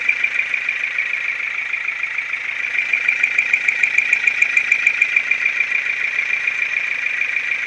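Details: Ford Focus 2 with 1.6 litre 100 hp engine at steady idle. A light, fairly regular ticking knock at roughly three per second; the engine knocks, cause unknown.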